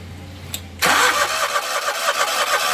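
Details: Scag Turf Tiger mower, Briggs & Stratton Vanguard engine, no start after sitting days, primed with primer bulb: quiet hum, then catches sharply and settles into quick even chug; normal start and idle.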